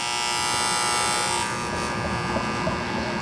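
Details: HVAC unit under warranty cutting off on low pressure, heard as the contactor pulls in on low voltage. Steady electrical buzz with a hard tonal edge. Contacts pitted and burnt, so the contactor is replaced.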